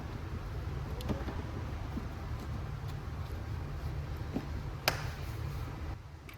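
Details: Audi RS6 C7 twin-turbo V8, first start after engine removal, teardown and repair for misfire and rattle (fault found behind timing cover); low steady even idle, no stumbles or misfires; normal idle after repair.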